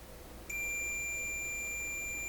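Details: Multimeter continuity check on the heater feed points in a 1928 RCA Victor Model 28V radio, no tubes plugged in, both sides reading the same: high-pitched tone starting half a second in and holding unbroken, closed circuit.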